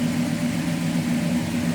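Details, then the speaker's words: 1965 Dodge Coronet 440 hardtop with a 383 V8, heard from the rear: a mild, steady low exhaust rumble at idle, even and not overly loud; normal healthy idle. "Little rumble coming out of that 383, nothing crazier over the top as far as loud exhaust"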